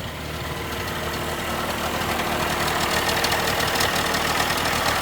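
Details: 1987/88 Mercury 35 hp two-stroke outboard after new starter and solenoid replacing one that needed several key turns: fires and builds to a steady, even two-stroke idle without stumbling; running normally.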